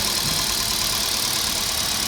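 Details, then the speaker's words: Kia Picanto with check engine light and P0303 cylinder 3 misfire, after part replacement: even, steady idle with no stumble or skipped beats; check engine light cleared on its own, misfire gone. "अभी एकदम missing भी नहीं है एकदम smooth है आप लोग देख सकते"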